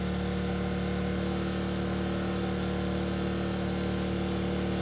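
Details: Enkeeo SC2300i 2300W 79cc 4-stroke OHV inverter generator powering a 1500W heater on high, the load still climbing: steady, even drone with no misses or knocks. Smooth, healthy running under heavy load.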